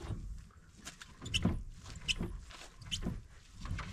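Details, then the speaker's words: Citroen AX rally car fitted with bigger wheels for bigger brakes, arch being pulled out for clearance: rough scraping rasps in bursts about every second as the wheel turns, the tyre still rubbing the arch. "Yeah, it's still scraping, so we still need to pull it out a bit."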